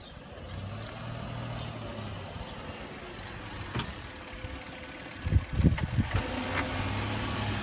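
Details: Car makes a cluster of sharp pops over a low rolling hum when braking at slow speed; noise comes from the front driver's-side wheel and doesn't seem to happen when reversing.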